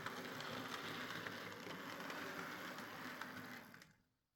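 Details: Hornby R.372 Class A4 "Seagull" model locomotive, tender drive, running after repair: quiet steady whirr with soft even tick about four a second, no binding or grinding. Bad running was likely from excess axle oil spoiling pickup; the mystery noise was traced to the valve-gear parts. Runs fine and quiet.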